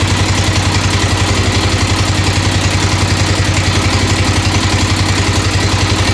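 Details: 1996 XR600R, newly assembled, first start on choke, fast regular light ticking in time with the thumping idle. The owner suspects a valve adjustment is needed, right front, unconfirmed.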